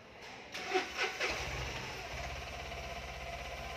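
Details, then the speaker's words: Tata Intra V10 BS6 diesel after scan-tool reset of DEF/urea remaining range from zero to 50 km: a few cranking bursts, then catches and settles into steady even idle; SCR fault light still blinking, urea quality sensor codes remain. "आप देखें, अब यह car शुरुआत हो चुकी है।"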